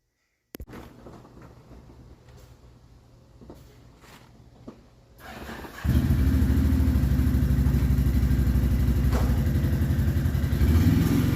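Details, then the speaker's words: 2007 Can-Am Outlander 500 with freshly rebuilt engine: a few clicks, then it fires and runs evenly with no knocks or misses; earlier problem was a sliced fuel line spewing fuel, now replaced. "however the project is a success it's running and this right here is the culprit this little chunk of fuel line"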